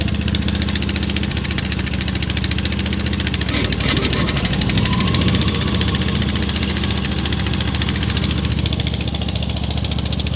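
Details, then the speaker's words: Wessex AF G2 flail mower engine idling with the rotor drive just engaged, before full revs are used to disengage it; an even, steady drone with no knocking or slipping, running smoothly. "now that engaged that's idling and I'll use full revs now to disengage the drive"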